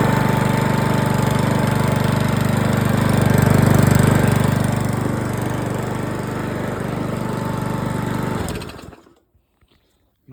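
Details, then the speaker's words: 2007 Parkside mower, reassembled with air filter off, now lifting fuel: even, steady single-cylinder buzz that swells briefly near four seconds, then cuts cleanly to silence; runs normally, worth repairing. "Oh, lifting some fuel by the sounds of it. I'd call that worth repairing then."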